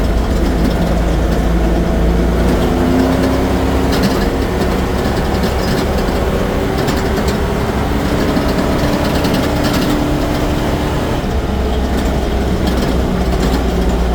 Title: what is that rattling sound?